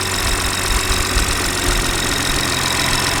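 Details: BMW B58 engine (G30) after camshaft follower and fuel pump reinstall: even, steady idle with no tick or knock, just a smooth hum; running normally after the ticking fix.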